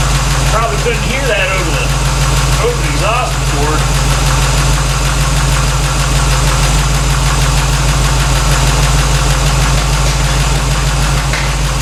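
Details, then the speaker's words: 1964 Chevy C10 with a tired 350 small-block V8, just fitted with a new true dual exhaust (Rams Horn manifolds, Thrush mufflers), with an audibly loud fuel pump: deep, steady, even burble at idle. Sounds healthy. "let bill worry about that sounds pretty good"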